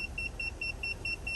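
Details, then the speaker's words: Aquasana UV water sterilizer, just over a year after installation: rapid high-pitched alarm beeping about five per second; reset failed, UV lamp smoked at end and needed replacing. "This is my unit installed, and here is my UV filter. This is what the unit sounded like, the alarm."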